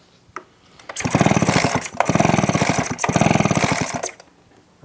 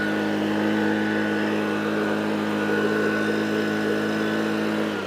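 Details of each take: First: Echo PB255-LN two-stroke leaf blower with no-start complaint, fuel primed, plug wet: rapid pull-start cranking bursts never catch, spark tester shows no spark; faulty ignition coil suspected. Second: Echo PB255-LN two-stroke leaf blower after no-start repair with carburetor replaced and coil gap set: steady buzz at high revs, drops cleanly off throttle and picks up crisply; runs smooth and healthy.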